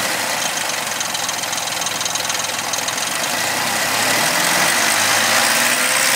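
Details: 2000 Suzuki Vitara V6 24-valve: harsh, rattly idle with a fast, fairly regular knock over a hissy background; abnormal engine noise, cause unclear.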